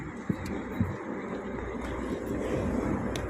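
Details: Toyota after alternator repair with a battery about a year old, AC on maximum and headlights on: engine idles low and even under load, no squeal or knock, charging rising toward 14 V; normal idle.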